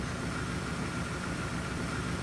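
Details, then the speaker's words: Front-load washing machine after drain pump work, spinning while water is pumped out through the filter area: steady even whirr with smooth spin rush, no hum or rattle; drain pump working normally. "water's coming down through here as she spins getting extracted going through that filter area and being pumped out the drain by the drain pump with no annoying hum"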